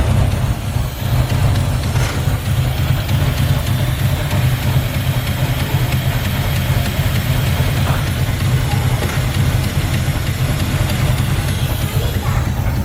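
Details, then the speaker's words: 1985 Chevrolet Camaro IROC-Z barn find, stored about 16 years, first start after new fuel pump fitted, no tune-up or oil check yet: loud continuous low idle rumble with slightly uneven pulse, a little smoke out the back. "smoke a little bit out the back but she's running"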